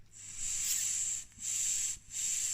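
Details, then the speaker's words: Polaris Outlaw 50cc carburetor that was flooding from the overflow, inverted, air blown through the fuel pipe: three short hisses pass freely with the floats lifted and no air leaks with them shut. The needle valve seat ring is sound and the float valve works normally. "You can hear, so that under that brass part, the little rubber ring, when the floats are shut, if that was gone, you would hear. And there's no air anywhere, so that's good, that's alright."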